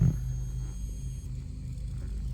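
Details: Sea Ray 19 boat with the key on and engine off: a faint, constant low hum comes from the speakers. The boat also has a strange speaker noise with the engine running; speaker hum.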